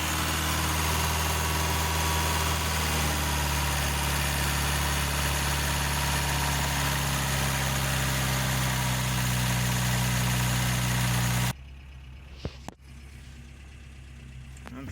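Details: 1988 Toyota Pickup with 22R carbureted engine, after timing chain, water pump and oil pump replacement, timing set at zero degrees and distributor hand-tightened: steady, even idle with a smooth low rumble, no misses or knocks; earlier it kept shutting off.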